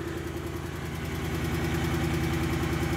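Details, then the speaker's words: 2008 BMW E92 M3 4.0 V8, 48,000 miles, sat about 3 years, started on jumpers: light regular tick about three a second over steady idle; dies after ~15 seconds and restarts; seller suspects bad engine; tick unconfirmed. "All right, sounds okay. Doesn't sound bad. Huh. It's running. It's got a little bit of a tick."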